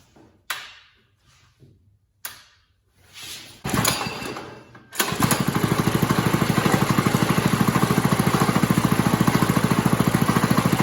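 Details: New single-cylinder engine fitted in a go-kart, first start: a few quiet pulls, then it catches and settles into a steady even thump at idle, normal running.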